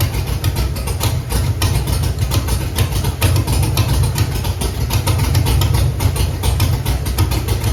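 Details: Chevrolet Camaro with Holley EFI-controlled 5.3 LS V8, loud rough idle with stumbling beat: cylinders 3, 5, 7 have no spark, number 1 fires; dead-cylinder misfire.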